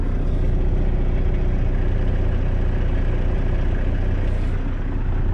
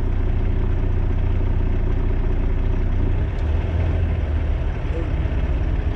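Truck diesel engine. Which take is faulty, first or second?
first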